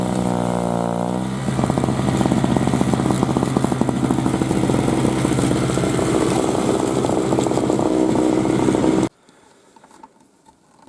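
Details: 2003 Murray single-stage two-stroke snowblower, unrun 5 years, started first pull after priming; buzzy revving, then a fast even rasp under snow-clearing load without stumbling before shutoff; normal healthy running.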